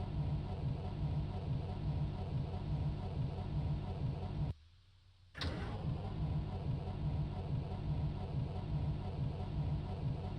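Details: Mercedes-Benz bus on a cold, damp morning: steady rhythmic starter grind at about seventy turns a minute with no catch, and a second attempt still won't fire. Cause suspected, not confirmed.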